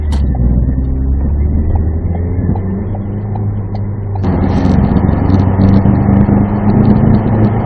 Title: 2016 Ford Focus making strange grinding noises with strong vibration upon acceleration - DPS6 DCT